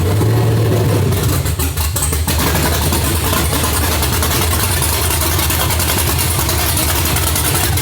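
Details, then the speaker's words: Red 2003 Cateye Stepside with stage three cam, first start, untuned, open headers: loud lumpy loping idle with an uneven beat and a slight miss; already chopping quickly, still to be tuned. "it's chopping already pretty quick it sounds really really good on the gas stage three"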